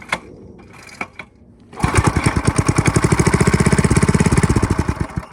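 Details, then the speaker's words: Briggs and Stratton I/C 5 hp with Pulsa-Jet carburetor, gas poured in air filter after light carb clean; a few weak pulls, then uneven popping about four seconds before fading; runs on prime then dies, owner suspects low or bad tank gas. "So I want to say there's no gas in this tank, or the gas is bad. I want to say it's probably bad."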